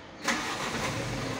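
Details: Mitsubishi Fuso HDL Euro 4 diesel truck, only 5,000 km: short crank, catches quickly and settles straight into a steady, even idle with no stumbling.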